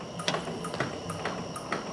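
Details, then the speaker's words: 1964 Chevy Nova dash-button windshield washer pump with no fluid: dry pump clacks in quick sharp bursts about twice a second; normal washer pump operation. "And this button right here is what does the windshield washer. And it's like a clickety-clack pump. You hear it kind of whack."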